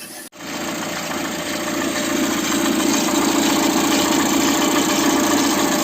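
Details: Citroën C4 starting and idling, cold: fast steady rattle from the timing belt area; with timing cover removed the tensioner pulley was found oscillating heavily, causing the noise.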